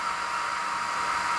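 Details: Mecpow X3 Pro 10 W laser engraver at first switch-on with no file loaded: the small laser head fan gives a steady, even airy whoosh with no ticking, rattle or wavering pitch. Healthy, normal running.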